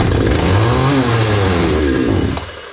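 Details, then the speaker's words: Hyundai 650 chainsaw before repair: fires and runs a couple of seconds at a ragged, dropping pitch, then dies; insufficient fuel reaching the engine, owner checking for blockage. "Şimdi ne yapacağım teknolojik deneyelim mutlu ciddi kapatıyoruz benzin yetersiz geliyor"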